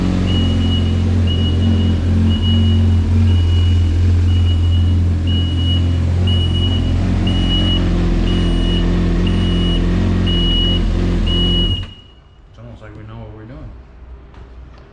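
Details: 2018 Yamaha VXR personal watercraft running after a full engine swap; smooth, even low idle with a steady high beep about four times a second until shutdown; healthy.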